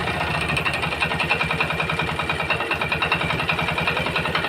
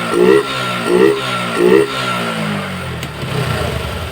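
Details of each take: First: Yamaha Jupiter MX small motorcycle engine idling after standing overnight: steady metallic clatter about three to four knocks a second; piston block and connecting rod damaged, worn big-end bearing. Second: Yamaha Jupiter MX after repair of klotok knocking and smoke, connecting rod big-end bearing replaced: three quick throttle blips then steady idle, smooth with no knock.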